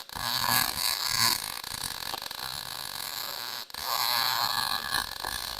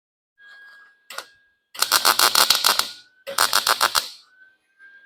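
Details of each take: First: Lincoln 140 Pro-MIG, 110 V welder, after liner troubleshooting, with drive-roll tension set to six and wire speed turned up slightly: crisp, steady frying-bacon crackle through the bead with a short break; normal MIG arc, welding decently. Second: Lincoln 140 Pro MIG, 110 V, wire speed set at 6 (chart 5.5–7), drive chatter gone, liner not yet blown out: choppy uneven crackle about three or four pops a second instead of a smooth sizzle; wire feed speed still too high.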